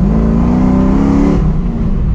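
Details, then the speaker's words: Cammed Dodge Dakota R/T, 5.9L Magnum V8 with high-lift Comp Cams camshaft, M1 intake and larger throttle body, naturally aspirated, freshly tuned with HP Tuners: loud, choppy rev held then dropping to a lumpy idle, pulling cleanly without knock or misfire. "ah damn this thing is fun oh pretty fine boys not boosted yeah but he's blind and pulls a lot harder up top you guys"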